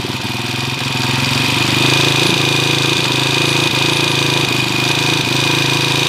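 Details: Honda TMX155 single at idle with loud steady clatter, about four knocks a second, after four mechanics and two timing gear replacements; crank timing gear found not seated flush, so timing gear and cam gear are misaligned.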